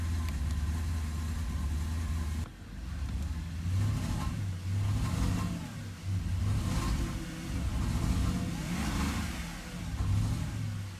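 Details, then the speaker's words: 2010 Porsche Panamera 4S, naturally aspirated V8, idling after a long startup with Check Engine and dashboard warning lights: low rumble surging and sagging unevenly, clearly rough stumbling idle; owner suspects a failing high pressure fuel pump, not confirmed. "it runs really really rough at idle and then Christmas tree on the dashboard I'll show you right now so here's the Christmas tree than hurting my car right now start/stop mode deactivated I don't know if you guys can hear how rough that is instantly Check Engine"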